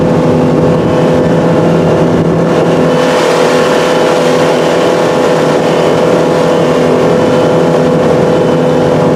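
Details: 2018 Chaparral boat, MerCruiser 4.5L 250hp V6, after replacing the top ignition coil over power loss and codes under load: a loud, steady roar under load above 4,000 rpm, up to max, with no stumbles, pops or dropouts.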